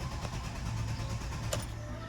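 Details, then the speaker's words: 2014 Chevrolet Aveo 1.6 that had run fine for about two hours, then wouldn't restart after shutoff: steady starter churn, even low drone, never fires. The scanner finds no codes. Fuel pump suspected, not confirmed. Crank, no start. "Le quise dar esa ligera explicación de que el carro pues prácticamente no prende, mira."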